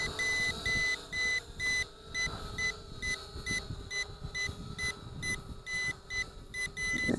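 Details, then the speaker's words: ATTOP W8 GPS camera drone in flight, battery reading 39%: sharp high beeps about twice a second over the steady propeller hum; warning beeping of unknown cause. "okay I am not sure why that's beeping because it says we got 39% power"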